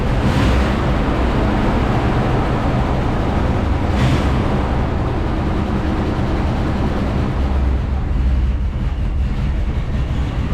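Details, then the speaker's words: 1979 Dodge D-100 Custom 318 V8 with Thermoquad carb, first run after probably 10+ years sitting, lifters still taking oil: a low, lumpy, uneven idle that stalls; owner suspects vacuum leaks from brittle lines, with the mixture screw turned fully out. "well she ran she stops a little bit and uh i think i think i got a couple vacuum leaks some some of them lines"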